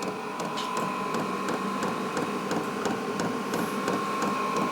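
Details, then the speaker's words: Vevor 12V 8kW 17,060 BTU diesel air heater tested indoors, set to 30°C: a steady whirring blower tone with light ticking about three times a second as it warms up. Normal startup. "sounds like she's starting to war up a little bit coming on getting ready to"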